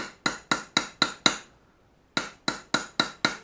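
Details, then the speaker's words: Japanese plane (Ishido Teruhide) back blade during ura-dashi (pushing out the back): sharp ringing "tang-tang" hammer taps about four a second that rebound — wrong, the blade sits unsupported over its hollow back and can crack; fix is a pig-nose support under it. "들어보세요 이 소리가 살 치는 건데 소리가 나와 안됩니다 탕탕 표현 소리죠 탕탕 표현 소립니다"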